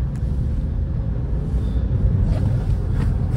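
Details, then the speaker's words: 2011 Opel Astra J 1.6 manual test drive, accelerating through gears: even road rumble and engine drone, no knocks, clunks or rattles from the suspension over bumps; suspension quiet, everything works well. "посторонних звуков с подвески не слышно Все работает отлично"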